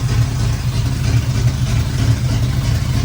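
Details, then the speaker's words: Pontiac Firebird Trans Am carbureted V8 just started and warming up, timing being checked with a light after the distributor may have been knocked; deep, lumpy, uneven loping idle about once a second. Ignition timing badly retarded. "Timing won't be right. Quickly throw it on there. Pretty retarded right now. Really retarded."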